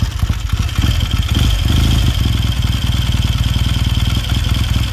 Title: 1969 Triumph T100c one kick cold start after rebuild